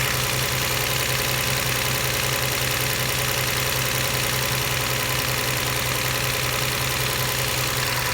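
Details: 1999 Toyota Camry Solara 3.0L V6 at idle, code P0304: uneven, loping beat with recurring stumble, cylinder 4 dead; power and ground reach the injector, which reads 500 ohms versus 14 ohms on neighbors, so the failed fuel injector causes the misfire.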